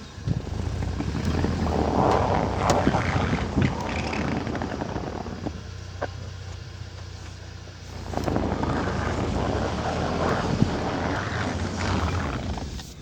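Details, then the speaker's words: UAZ Patriot in full 4WD, crawling through full-lock turns left and right and in reverse: the engine drones and swells with no knocking or binding from the transmission or driveline. "все работает гладко novatek машина сама идет на к там все нормально"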